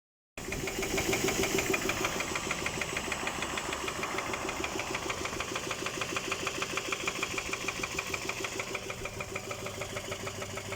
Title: Стук двигателя.